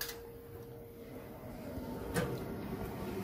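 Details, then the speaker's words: Glowworm Ultimate 40FF boiler just after fan replacement: quiet steady fan hum, then a click and a soft rise as the burner lights; new fan runs and ignition is normal. "there you have it the fan's running and we've got ignition there you have it"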